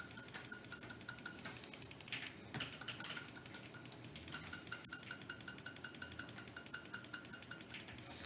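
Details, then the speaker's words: Attack Shark X6 mouse: quick left-button clicks, each with a thin high squeak over the switch tick; the left button periodically starts squeaking on every press, and the squeak isn't heard when the mouse is lifted off the desk. "Самый главный минус, я вот когда чуть-чуть кликал, вы, наверное, услышали, что-то скрипнуло. Это скрипнулок. ЛКМ здесь периодически просто включает какую-то скрипаторию и скрипит просто при каждом нажатии."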